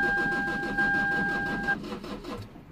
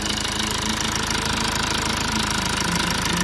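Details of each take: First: 2008 Lexus IS220d diesel, neglected, battery-drain car after alternator replacement, battery on charge: starter cranks with even pulses about six a second over a steady chime, never fires; crank no start, flat battery or similar suspected, not confirmed. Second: 2008 Lexus IS220d diesel after fault repairs, left off about half an hour, remote battery needing replacement: starts straight away into steady even diesel idle, no misses or knocks, airbag light goes off, no warning lights; battery charging.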